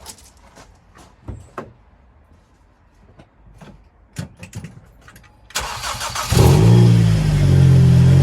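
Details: Ford Mondeo after replacing a cracked spark plug and refitting the plug leads: clicks and handling, then the starter catches and the engine fires into a smooth even idle; running healthy.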